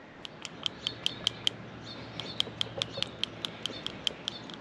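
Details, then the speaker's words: Subaru engine PCV valve, removed and hand-shaken: gives sharp single clunking clicks instead of a light marble-like rattle, showing it is stuck; it plugged back up after about a week despite cleaning, confirming a bad PCV. "It should sound like a little rattle, not a clunk. That's no bueno."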